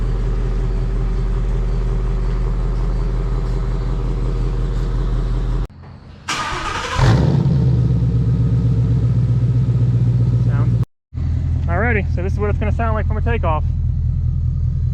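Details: 2017 Ford Mustang GT Premium, 5.0 Coyote V8, just fitted with MBRP S7239 cat-back street exhaust: deep rumbling idle, then a launch with a hard rising roar and quick blips; exhaust note strong and clean, normal.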